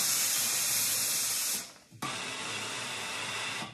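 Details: Steam generator iron, 8 bar, 180 g/min steam, 650 g/min boost (Philips PerfectCare 8000 vs Calor Pro Express Ultimate+ test): loud steady hiss with faint pump buzz beneath, stopping briefly then resuming; normal pump noise in steam mode.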